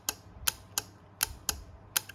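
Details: High Class MMA160 welder, board bench-tested after power-supply (300 VDC section) short: crisp, sharp, even clicks about three times a second with no buzz or chatter; relay and contactor switching normally.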